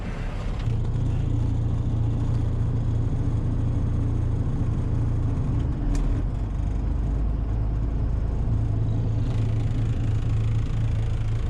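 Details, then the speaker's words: John Deere 6310 tractor driving a New Holland 96 slasher after retiming the slasher: steady low rumble turning over evenly, with no knocking or blade strike heard. Runs normally after retiming. "that sounds all right i think nothing sounds like it's hitting on the blade so i think i've got a time pretty right"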